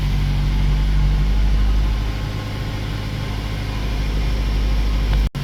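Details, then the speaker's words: 2008 Mazda 3 petrol idling after fuel pump module replacement: smooth steady low hum, the earlier fuel pump whine from the tank gone. "okay guys you start the car it's no noise in here can nothing here on any noise okay all good"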